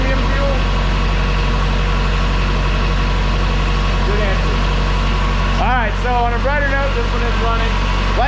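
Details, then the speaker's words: 2007 Bad Boy AOS 7200 with 35hp Cat diesel idling after gasoline was drained from the fuel system; steady even chug, no misses, knocks or stumbles; owners note injection pump or injector damage possible but it doesn't sound like it. "just because it's running doesn't mean that we'll have a problem later it is possible to do damage to an injection bumper injector right now it honestly doesn't sound like it"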